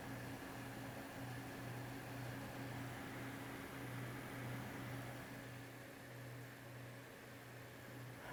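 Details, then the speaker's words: Zotac AMP Extreme GTX 980 Ti, reportedly crashing in games, under benchmark load after thermal paste change: steady soft whir, low hum, faint high tone; fans about 320 RPM slower and quieter, core and hotspot 11°C cooler; normal fan noise. "this is while the fans are running quieter as well they're running at about 320 RPM less so it's running quieter"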